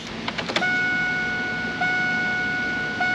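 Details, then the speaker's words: Firebird with transplanted LS1, first start in 25+ years, 5 gallons in tank: electric fuel pump hums and whines about a second at key-on then shuts off, normal priming; a fuel line leak then appeared. "I hear the fuel pump running. On these fuel pumps, they'll only run for like a second or so before they shut off."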